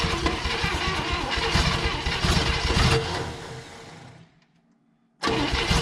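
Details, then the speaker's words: 1960 Chevrolet Impala abandoned 38 years, first start attempt, uneven cranking compression between cylinders: fires a few ragged pops then dies, no fuel supply until fuel pump hooked up. "we gotta have our fuel pump hooked up all right let's try out the fuel is all up"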